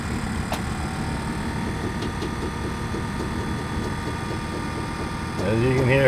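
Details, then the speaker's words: 1999 Lincoln Navigator SUV, rear air spring just replaced with a new bag after the old one leaked: steady electric hum with a light pulsing beat over the idling engine as the air suspension compressor cycles and fills the deflated new bag; normal operation. "cycling feeling up the air system another bag had air in it but this one being deflated being that it was a new bag here you go it's sto it's up now"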